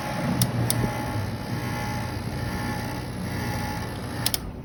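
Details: Carrier 5,400 BTU air conditioner on a quick test run, blowing cool: steady low hum with even fan rush and a few light clicks, running smoothly and normally.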